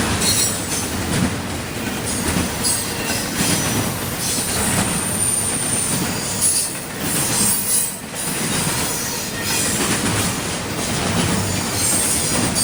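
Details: CSX intermodal train passing in Georgia: a loud, shrill screech rides over the steady rumble and clatter of passing railcars; wheels squealing as the train rolls by.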